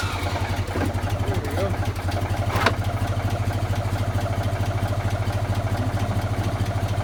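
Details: Small single-cylinder engine after its leaking carburetor was repaired with acid, pop rivets and epoxy and the fuel was turned on: it fires at a steady, even beat with no misfires or surging; normal running.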